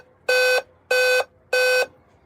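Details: Dell laptop that won't power on and beeps when the power button is pressed, in a quiet room: three to four even, high-pitched repeating beeps; beep code suspected to indicate RAM not recognised, not confirmed.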